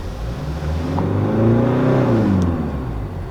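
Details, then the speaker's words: Hyundai Santa Fe diesel that jerks on acceleration, EGR already replaced: revving with intake-air and boost data watched, whoosh and airy hiss as the turbo vanes close badly at the end of acceleration; faulty VGT control solenoid. "Listen carefully. When you accelerate, the line goes up But at the end The anus has to close naturally, but it closes like this You can hear that sound."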